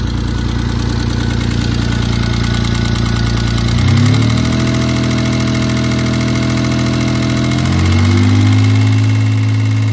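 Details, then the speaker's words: Mitsubishi 3000GT/Stealth-type engine just after replacing the hydraulic lash adjusters (lifters) with new ones; fast, even top-end valvetrain ticking over idle and two throttle blips. Oil pressure good, bottom end ruled out; lifters may still need to pump up. "pretty uneventful I forgot a vacuum line but that's no big deal I still hear a lot of thicket"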